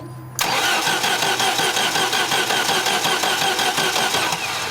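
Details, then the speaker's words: 1989 Dodge Caravan 2.5 Chrysler after in-frame rebuild: a missing ground was reconnected and the fuel pump clicks, but the starter spins the engine steadily for several seconds with no firing; cranks, no start, so the coil is checked next. "So at first, we did have that ground issue, and that was solved, still not firing."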